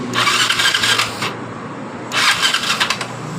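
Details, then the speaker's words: Yamaha Mio Sporty scooter that died while riding, new spark plug fitted, compression, ignition and fuel flow normal: two bursts of fast even electric-starter cranking that never catch; no-start caused by jumped cam timing. "motor ini belum bisa hidup juga dan kita mau cek Apakah bensin atau bahan bakar dari motor ini lancar atau tidak"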